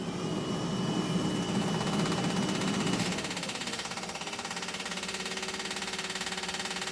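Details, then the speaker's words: 1986 Ford F250 diesel after fuel pump install, cold day: louder whirring prime then steady rapid clicking three or four per second; electric fuel pump working properly. "Can hear that fuel pump."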